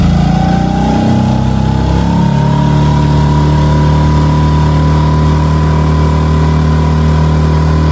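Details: New Hangkai 6.5 hp four-stroke outboard on a 10-foot jon boat: steady, even drone, smooth tone rising slightly as it settles at cruise speed; running cleanly under load.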